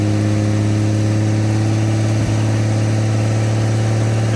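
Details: 1954 Chevrolet inline six revived after sitting two decades, idling on open exhaust: loud, steady, even drone with no ticks or stumbles, "a Swiss watch"; shut off because of fuel leaks. Normal idle.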